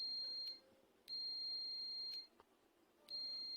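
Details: Microwave door switch after repair: clear high-pitched meter beeps in roughly one-second bursts, repeating about every two seconds; the switch, which earlier gave no reading, now closes and conducts properly.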